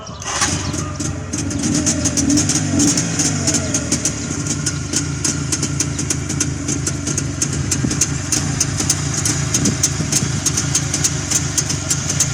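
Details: Freshly rebuilt Jawa 350 two-stroke, original sound: starts up, then settles into a fast, even ring-ding crackle at steady idle with no knocks or misses; healthy two-stroke idle.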